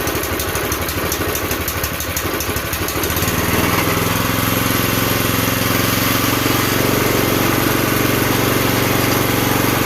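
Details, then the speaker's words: Campbell Hausfeld CE2000 5.5 HP gas wheelbarrow air compressor: the engine catches and settles into a steady, even beat; the weird aerating noise while building to proper pressure came from the valve assembly. "So the weird aerating noise that you can hear as that built up to the proper pressure was this valve assembly here."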